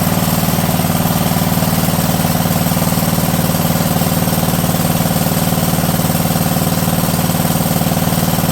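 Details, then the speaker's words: Wisconsin AENL single-cylinder engine revived after 20 years, with a rebuilt carb and new points and condenser. It pops along at a steady beat. Ignition problem persists; condenser suspected. Engine cutting out. "foreign like an ignition failure right there that's what that sounded like like that sounds like ignition just cut out completely which means we still have an ignition problem"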